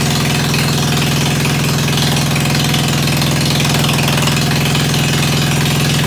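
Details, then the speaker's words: Ford 100 at the end of a tune-up, started with starter ether on a roughly 40°F day, idling through a straight pipe: loud, even low thump about two beats a second, no miss or knock; idling normally. "[Music] you are death in one and that thing sounds beautiful"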